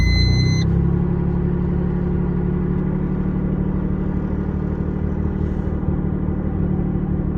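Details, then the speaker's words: Stealth cold start at about -12° after cranking first, then starting fluid: a quick crank, then a steady, even low idle with no knocks or ticks. Thick oil, good oil pressure. A healthy cold start. "She's a runner. See, the oil's a little thick, eh? Now that's some oil pressure."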